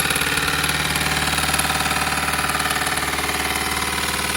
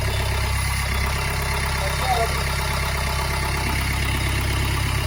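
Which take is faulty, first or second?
first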